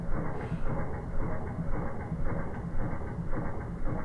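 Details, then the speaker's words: Kohler Courage single-cylinder mower engine (found intake 0.008 in, exhaust 0.011 in after 200 hours; spec 0.005/0.007 in): slow, steady, smooth chuff with no tapping or clatter; normal running. "you hear that if there would be something wrong with your VES or stuff you would hear it it would make weird noise but this is like a steam engine here it's like smooth and nice d"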